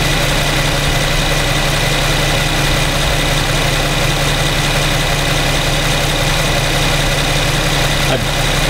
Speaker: got more sound here from the Infiniti 3.7 V6 engine. Pretty quiet. This is in idle, in drive.